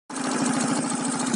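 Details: 125cc Keeway Cityblade scooter, warm engine: fast, even ticking rattle over a buzzy idle; cause of the rattle not pinned down.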